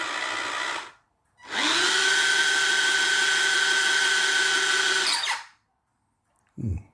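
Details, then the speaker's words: Ride-on Barbie Jeep (ex-NewBright Brutus) motor on the existing ESC runs a steady whir with a thin, high, constant squeak on top, cause unclear; owner concludes the motor is fine and suspects the ESC lacks voltage, considering a different ESC and 4S battery. "you hear that squeak? Yeah, okay."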